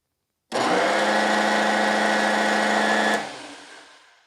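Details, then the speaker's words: DeWalt DW735 Type 1 thickness planer with a burned-up motor runs at about half speed with a sluggish whine, then the breaker kicks out after a few seconds; owner suspects the armature, field or both. "and there it just kicked out so and you can hear that it's not running anything like a 735 should run"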